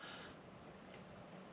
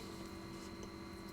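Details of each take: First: Macintosh Classic II after replacing its noisy internal fan with a Noctua NF-A6x25 60 mm fan, microphone close to the speaker: just a faint, steady airy hiss with no hum or buzz; normal quiet fan running. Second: Classic Mac II internal cooling fan at a steady hum with a thin high whine, before swapping in a premium Noctua NF-A6x25 60x25mm fan; hard drive already replaced with a SCSI device, running System 7.5; noisy cooling fan hum.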